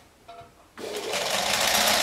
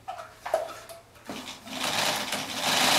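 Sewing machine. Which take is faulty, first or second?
second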